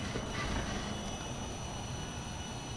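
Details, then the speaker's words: Cheap no-name 500 W Coolmax power supply under heavy load, about 425–468 W, with the graphics card underclocked to 1000 MHz. Heatsink near 78 and smelling hot. A faint steady high-pitched coil whine sits over a low hum. "1000 megahertz pretty good coil wine 425 watts 440 so she's staying under 450 watts that should be good"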